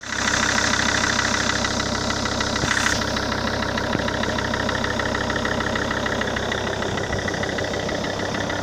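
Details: SsangYong Rexton 2 diesel after engine overhaul at TURBORU, idling: fast, fairly even metallic tapping about three per second over the clatter; engine knock, internal cause suspected, not confirmed.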